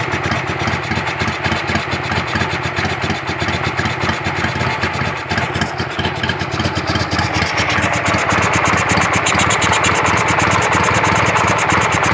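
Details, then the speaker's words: Carburetted car at idle: uneven shaky idle with irregular lumpy pulses and a thin whistle seemingly from the carburettor's right side, changing when the choke is pulled; idle won't set properly, cause unknown. "когда работает тоже и не выставляется холостой нормально то есть его колотит"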